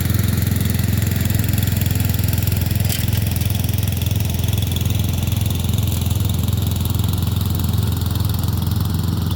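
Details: Murray Select 30" riding mower mowing on a slight incline with unsharpened blades: steady low drone with an even pulse about two beats a second, no stumbling; engine holds well under cutting load and cuts decently.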